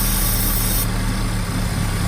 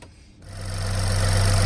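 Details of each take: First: 2.4 Chevy Equinox that won't idle: starts fine, idles up briefly, then stumbles into a low, lumpy rough idle. Spraying brake cleaner smooths it, pointing to a leaking gasket on the back side of the intake manifold (vacuum leak). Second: Chevy Equinox 2.4 that would not idle and died, after intake removal and reinstallation with the high-pressure fuel line reconnected: engine catches and settles into a steady, even idle with no stumble or miss; repaired, idling normally.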